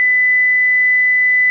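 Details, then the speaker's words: Receiver reproducing a transmitter's audio-tone modulation at about 1000 Hz, with the modulator fed from a TTL output at far too high amplitude. Steady high tone sounds harsh and buzzy, and the tuning motor is audible while warming up. Distortion from square-wave modulation. "some very strong Distortion which I don't know where uh oh wait a minute I I have this is I was feeding it with the TTL output and here you see what is happening"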